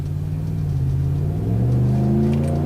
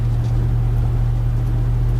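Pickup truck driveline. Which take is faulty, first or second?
second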